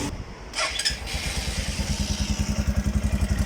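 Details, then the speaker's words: Italika 200 cc motorcycle (Zongshen RX1) on its stand, wheel spinning: low rhythmic whirring knock near the front sprocket, about four beats a second, started after the chain was adjusted; owner suspects a worn chain and front sprocket. "aquí con mi moto de 200 tiene un rito en la cadena muy raro el rollito lo hace aquí a la altura del piñón"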